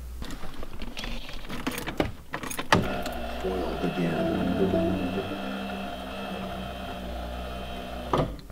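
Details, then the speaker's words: 1987 Pontiac Trans Am GTA power antenna after repair: steady electric motor hum runs evenly about five seconds with no grinding or catching; the mast travels smoothly. "the antenna works perfect. I would think it'll be a long-term fix, but I'll let you guys know more in the future."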